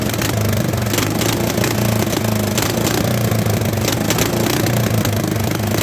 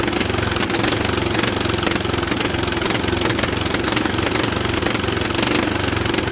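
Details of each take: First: Late-1960s/early-1970s Bolens tractor pulled from a barn after sitting around 20 years, started with bypassed ignition: single cylinder thumping at a steady idle with loose clatter on top, rough but running fine. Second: Old Bolens tractor (late 60s/early 70s), barn-stored for years, cranked; rough uneven chugging under heavy clatter, never catches; no fuel flowing through filter though gas is on, suspected blockage, not confirmed.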